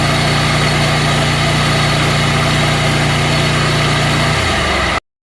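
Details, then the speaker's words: Scag zero-turn mower run at high RPM, blades off, for charging-system voltage test at battery: strong, even engine roar held at high speed with no misses or knocks, then drops off and cuts out; normal high idle. "So now we're going to start it up. When you run it, you want to make sure you're testing it at high RPMs."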